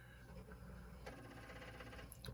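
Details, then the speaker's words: Commodore 4040 disk drive on a PET 8296 running a BASIC 4.0 backup: irregular clacks and ratchety knocking over steady motor hum as the head bangs retrying; read errors suggest a troublesome disk, not necessarily a bad drive. "Just because the head bangs, so if the head banging, it doesn't mean it's necessarily bad. It means it's trying very hard."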